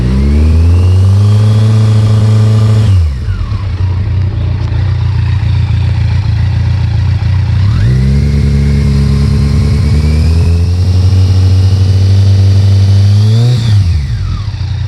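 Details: Kawasaki ZX14 revving up and dropping back with a deep knock under the exhaust; a tech blamed the number 3 piston lacking oil when ridden hard, owner suspects a spun bearing there, possibly the cam chain tensioner.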